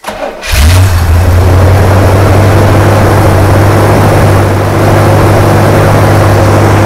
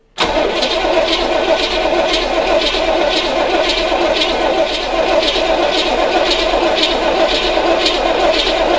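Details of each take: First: 1980 Chevrolet Corvette C3 5.7 V8, first start after sitting nearly ten years, alternator disconnected after catching fire; catches quickly and settles into a strong, even low rumble with no misses or knocks; normal running. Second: 1980 Corvette C3 5.7 V8 that sat nearly ten years, cranked with the fuel line disconnected at the carburetor to see if the pump lifts fuel: a steady starter churn with a slow pulse about once a second, never starting.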